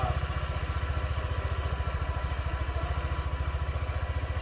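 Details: Honda Ruckus single-cylinder scooter, cold start at about 40°F after ECM data reset fixed hard start and bogging: low even putter of about three and a half beats a second, steady without stumbling; normal idle.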